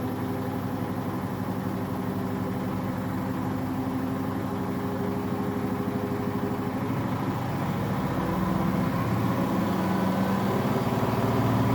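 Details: AEG washing machine after drum replacement: rhythmic low thumping about three beats a second over the hum during spin — banging during spin cycle.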